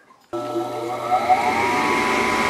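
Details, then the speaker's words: Furnace that short-cycled, after its plugged pressure switch hose was cleared. Silence, then the inducer fan kicks on and spins up to a steady hum, rising slightly in pitch as it reaches speed: normal start. "that's the fan starting and it's creating that sessions are there"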